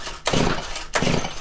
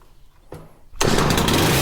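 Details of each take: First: Stihl FC110 4-MIX four-stroke trimmer before repair: two quick pull-start strokes whir freely with no compression bump against the rope, little to no compression. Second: Stihl FC110 after switch replacement and valve adjustment, previously near-zero compression, oil and brake cleaner in cylinder: pull start catches at once, strong steady high-speed buzz at full throttle, no misses; compression much better, runs healthy.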